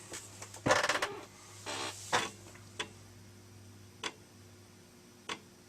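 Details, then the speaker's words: Amiga 500 Plus floppy drive after a new Gary IC was fitted: bursts of head chatter, then lone clicks about every 1.25 s, seeking but never loading; failure to load the disk, old disks suspected. "i think this may actually be the um old discs more than anything else because it certainly sounds like it's trying to load not doing anything there"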